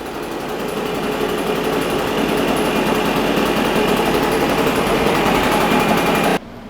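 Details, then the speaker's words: Husqvarna 150BT backpack blower two-stroke, reassembled from parts after a reported no-start (coil replaced repeatedly by the owner), buzzing steadily and evenly at high speed for about six seconds; normal running. "okay customer said it wouldn't start customer was wrong"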